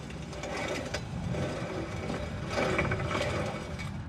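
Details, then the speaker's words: Subaru wheel hub turned by hand with the axle out: a rough, gritty grinding from a worn-out wheel bearing that ran dry after the axle boot ruptured. "all right here's a little trick for when your wheel bearings pretty much shot sounds like this"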